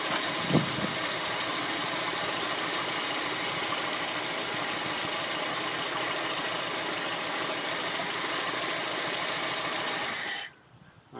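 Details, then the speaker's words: VAZ 2108-099 with Solex carburettor during idle adjustment: steady, even idle with no stumbles or knocks, holding speed for about ten seconds before shutting off; running normally. "работает нормально"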